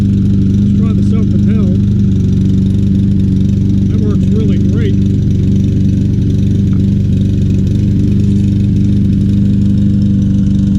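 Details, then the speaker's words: Troy-Bilt TB200 mower, 150cc Briggs & Stratton engine, after carburetor and tank cleaning, fresh gas: labours and wavers unevenly instead of a steady beat; engine miss persists, running rough and struggling. "i'll sharpen that blade that's struggling but it's running i'll let it run a while see if it smooths out"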